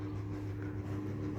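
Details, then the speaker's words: Panasonic remote-control electric fan, before repair: low steady hum from a motor turning lazily, well under normal speed, blowing but not cooling; blamed on a weak capacitor. "นแต่ว่าอืดๆครับผมมันอืดๆเนาะครับหมุนช่ามากครับผมหมุนซ่ามากผัดได้ก็บ่เย็นครับผม"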